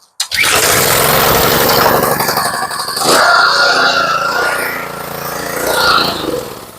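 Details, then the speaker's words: Small pressure washer engine, pull-started on choke with fuel on: catches at once and settles into a steady, even run with no misses, though the pump is said to hammer while running; the engine itself is healthy. "yep she sounds real nice I was glad I did that one for free when I got the whole thing together the pump is a mess motor runs smooth as a kitten"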